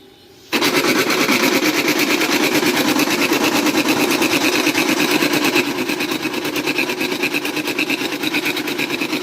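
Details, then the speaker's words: HP LaserJet 1566 laser printer from power-on: fast, even rattling grind holding steady throughout; worn pressure-roller drive gear, fixed by replacing the gears. "Friends कुछ इस तरीके की नज हमारा प्र inter कर रहा है और ये क्यों आ रही है वो आपको मैं बताने वाला हूं"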